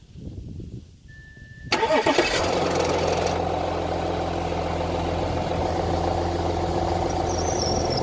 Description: Just a quick start up of my 2011 Audi A7 3.0 TDI cold start up noise/rattle for the very first second.